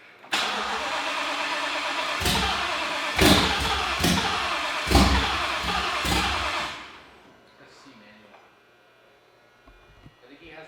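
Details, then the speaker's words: Mustang with a freshly installed fully built engine cranks steadily for about six seconds but never fires; the fuel pumps had not been turning on until a different tune was loaded; no start. "So unfortunately, we're not gonna be able to start the car today."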